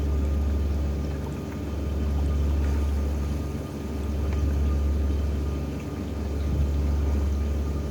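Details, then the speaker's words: Fish tank with a bottom filter and overflow drain, after adjustment to stop air being drawn into the pipe: low steady water rush with no gulping or slurping; quiet overflow drain flow. "ก็ไม่มีเสียงแล้วนะครับ"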